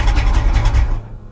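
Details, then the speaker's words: 1980s Pontiac Firebird with manual transmission, abandoned at auction, in neutral: engine keeps chugging low and heavy after the ignition is off and the key removed, then dies once stalled with the clutch. Engine run-on; low oil pressure suspected. "I had to use the clutch to stall it it didn't shut off are you look all right the key is not even in it guys I shut the ignition off took the key out and it wouldn't stop running"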